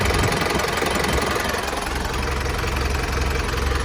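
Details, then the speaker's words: Isuzu NKR 110 hp truck from 1990 (B.E. 2533), engine not yet washed, for sale: diesel clatters evenly at idle with steady low rumble, no knocks or stumbling; quiet, engine idles normally. "นี้มันเงียบเลยนะครับเครื่องดีนี่เลยอ่ะ"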